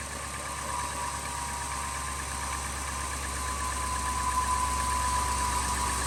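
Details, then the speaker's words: 2000 Ford F250 5.4 2V in freezing weather, restarted after IAC valve and throttle body cleaning: steady mid-pitched hum with only faint unevenness, settling into a smooth, even V8 idle; normal idle. "it's running it's running better already guys I'm expecting this to clear up I'm expecting that no this how it should be"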